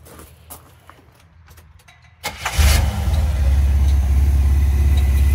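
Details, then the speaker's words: Old Buick V6 with a carburetor, long-sitting car, cranks briefly and fires right up, settling into a steady, even low rumble; owner thinks it probably needs plugs and a carburetor rebuild. Normal start and idle. "fires right up like it's nothing. The old Buick V6, she probably needs plugs."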